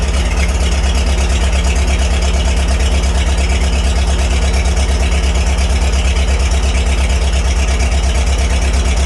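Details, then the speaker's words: 1949 Farmall H four-cylinder gas tractor needing engine rebuild, low oil pressure when warm and bad thermostat: lumpy idle about three pulses a second with dropped beats; cylinder missing, suspected spark plugs, new plugs to be fitted. "you can hear it missing and I think that's going to be spark plug related"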